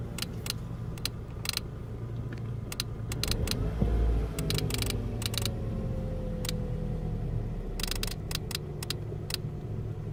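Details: 2003 Ford Focus ZX3 running with sharp, uneven electrical ticks about two a second, headlights flashing in sync; returns 40–60 miles after a battery disconnect despite three alternators, new battery, cables, fuses, relays: intermittent electrical ticking.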